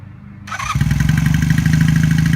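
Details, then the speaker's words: 1978 Honda CB400A Hawk Hondamatic, restored, 11,164 miles, manual choke used for cold starts: a starter whirr, then it catches easily and settles into a steady, even idle with a clean, regular beat; sounds healthy. "That's pretty easy. It's a happy motorcycle."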